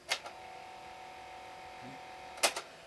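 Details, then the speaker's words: Panasonic boombox cassette deck, otherwise near-new and fully working: a click from the play key, then only a thin faint hum and a clunk with no tape moving. The drive belt is missing or melted. "needs a belt the Belt doesn't is non-existent or you know melted or whatever but everything else works"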